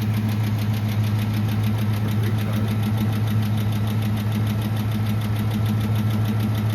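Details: Truck at idle, cool 61°F morning, oil pressure still good: light, quick ticking at about three per second that slows as it runs; owner suspects oil-related or the power steering pulley, also heard on takeoff and stopping.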